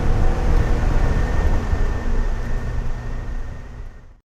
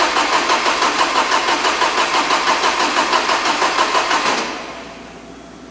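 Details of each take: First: 1987 Porsche 924S running after a no-start following a clutch install, fixed by jumpering a broken DME relay-to-injector wire: low, even rumble holding steady a few seconds without stumbles before cutting off; engine runs properly. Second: 1987 Porsche 924S after clutch install: steady cranking about three beats a second that never catches; no fuel to injectors, later traced to a broken wire from DME relay to injectors.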